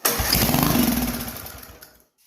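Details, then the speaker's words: 1976 Wizard tiller, Briggs & Stratton 5 hp engine, first start in years on primer fuel: sharp burst of rapid firing, runs about two seconds then dies; confirms spark and compression. "it ran it ran 75 1975 when it was made and it ran okay guys well it ran you heard it pop off that's all I care about hearing right now just want to know the engine will run"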